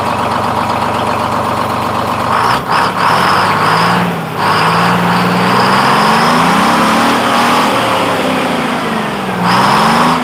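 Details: 1948 GMC Silversides Greyhound bus, freshly in-frame rebuilt Detroit 6-71 two-stroke diesel on first start, rings not yet broken in. Even smooth beat rising and settling with throttle, no knocks or misses; runs smoother than ever.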